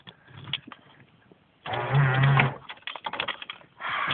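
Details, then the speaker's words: Car's central locking cycling on its own: short whirring clunks of the lock motors in separate bursts with nobody working them; owner suspects a faulty switch, not confirmed, and says the problem later resolved itself. "Fuck, this thing is misbehaving something chronic. It shouldn't be doing"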